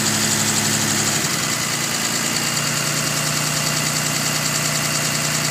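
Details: 2005 Dodge Ram Cummins 5.9 diesel at idle: faint, loosely regular light tick over the clatter, loudest when cold and fading somewhat once fully warm; source unknown.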